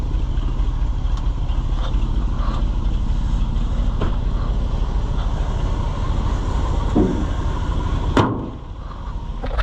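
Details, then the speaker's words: Rusty old Chevrolet C65 grain truck after carburetor rebuild, air cleaner reinstalled, idling: low, steady, even rumble with no misses or knocks. Runs good; normal idle. "Boy, it runs good. I mean, for being a rusty old truck, runs pretty good."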